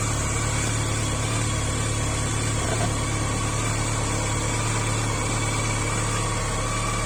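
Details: BMW K 1100 motorcycle: busy four-cylinder idle with an uneven low rumble and a faint ticking on top; abnormal engine noise, cause unclear.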